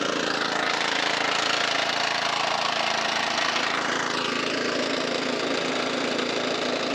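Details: Non-runner lawnmower, apparently the one with a Kubota 5 hp OHV engine, fresh fuel, first start: small single idles unevenly, rising and sagging instead of holding steady, hunting; low-end hunting suggests a blocked idle jet, not confirmed.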